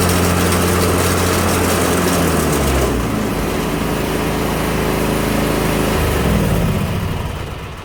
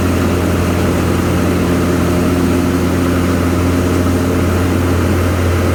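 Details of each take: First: Craftsman Z530 zero-turn, blades engaged: engine steady, then deck engages with heavy rough drone and rattle, deck vibrating and idler arm jumping; bad belt, idler pulley or spindle bearings, or bent blade suspected. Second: Craftsman Z530 zero-turn after deck repair (deck locked in place), blades engaged: steady low drone with blades turning smoothly, no squeal, grinding or rattle; deck running normally.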